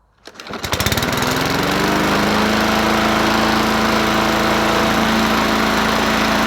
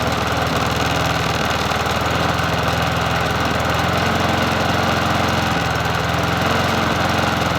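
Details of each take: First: Bolens 21-inch push mower 11A-B0BL765, engine of unknown origin, just primed and started: catches and climbs fast to a hard, high, steady scream well above mowing speed; running too high, owner suspects valves need readjusting. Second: Bolens 21-inch push mower 11A-B0BL765, a free mower being fixed up, after a new cover and reconnecting the spark plug, on a cool 57°F day: steady, even idle with a consistent beat and no stumbling or hunting; runs smoothly.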